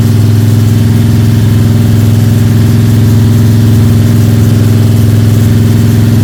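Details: Freshly built Ford 302 Cleveland V8 with Holley Sniper and new electronic distributor, first start, fast idle during cam break-in (~10–15 min), timing around 31°: steady, deep, smooth even beat, no ticking or rattles; healthy normal high idle.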